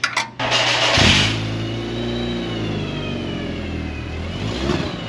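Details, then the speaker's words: VW Mk4 2.0 wagon after fitting a Techtonics Tuning exhaust kit to fix a loud exhaust leak. The engine starts and settles into a steady idle with a smooth, even note, slightly louder, with no leak puffing or drone. Normal exhaust. "All right, well, this is 1,000 times better than that leaking droning exhaust. Is it any faster? No, it's not. It's still a 2.0. But does it sound a little faster? Not really. Just a little bit louder."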